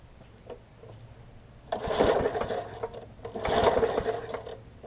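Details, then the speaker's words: Murray 20-inch 3.75 hp push mower, long dormant with stuck-open intake valve freed, new carb diaphragm, primed, tank cleaned: two long rasping recoil pulls spin it over but it never fires; cranks but won't start, owner suspects wet or fouled spark plug. "the plug's got a lot of water on it or it might be fouled i'm going to try a couple more times and then we're going to switch the plug out if it doesn't work"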